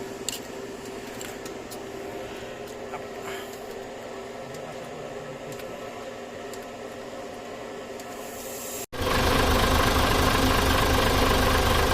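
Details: Mitsubishi Fuso Super Great 6M70 double-EGR diesel, low power and hard starting, after cleaning ECU socket with contact cleaner: quiet hiss then sudden loud steady clatter as it starts, settling to idle.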